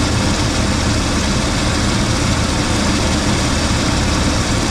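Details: 1980 Cadillac Deville after six months in storage, restarted after running a while: steady, even low rumble with no knocks or misses, idle holding smooth and settled. Normal idle.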